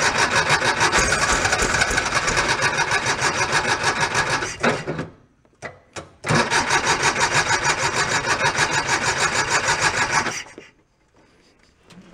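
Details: 1976 Porsche 914 converted to a station wagon, long parked, fuel lines redone: rough, raspy running with rhythmic puffing about three per second, stalling and restarting; compression around 125–130; owner suspects a leak at the top of a cylinder head.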